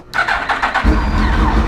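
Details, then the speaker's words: Suzuki GSX-R motorcycle after new fuel pump and Power Commander: brief starter whir, then fires cleanly into a smooth, even idle; starts and runs healthy. "Baby! All it needed was a little love. Does that sound any different?"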